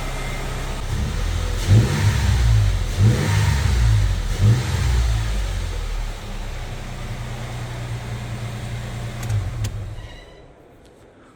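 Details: 2008 Toyota FJ started after MAF sensor cleaning and TRD air filter install; a few throttle blips, then a steady low rumble with no misses or surging; healthy running engine.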